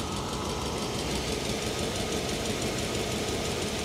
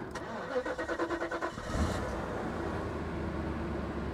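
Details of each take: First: 1990 Mercedes 560SEC V8 at idle: steady note with a faint, uneven, slightly shaky pulse and a breathy puff about three times a second; no ticks or knocks; suspected exhaust leak or failed exhaust hanger, spark plugs also guessed. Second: 1990 Mercedes 560SEC auction car: starter cranks about nine quick beats, then catches and settles into a smooth steady idle; engine healthy, though something on the exhaust is loose, likely an exhaust leak.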